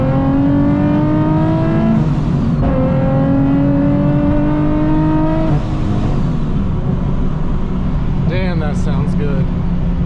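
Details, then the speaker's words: Nissan 370Z with a newly installed Soho supercharger kit, after the belt previously shredded: two clean pulls with smoothly climbing pitch, even drop back, no squeal or slap; normal acceleration, belt holding. "that sounds so good right after the pools no issues finally working right"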